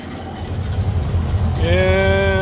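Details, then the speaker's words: 1930 Ford Model A after 40 years in a barn, before mixture adjustment: slow, lumpy idle with uneven firing pulses, tone rising as it picks up; rough running with oil smoke, owner suspects engine shot, generator seemingly not charging. "here houston we have a problem well it's running after sitting in a barn for 40 years it's running it's not running very well but it's running"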